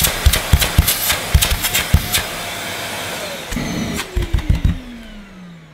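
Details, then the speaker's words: Vax Mojo II bagged cylinder vacuum, 1400 W. Loud, steady motor roar with a rising whoosh as the hose is blocked and freed, likely a suction relief valve kicking in, then winding down. Normal running. "I've already had a bit of a preview because it was turned on and it's quite noisy."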